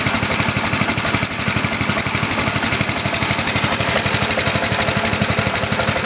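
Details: Healthy factory 8 hp lawn tractor engine idling with the side panel removed. A steady, rapid thumping with noticeable shake and rattle, which is normal for these motors. Normal idle.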